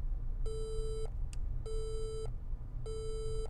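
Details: HP EliteBook 850 G3 that wouldn't boot, power-on after reinstalling the suspect DIMM: three long, even mid-pitch beeps repeating about every 1.2 seconds, a memory fault code; loose module or bad memory slot suspected.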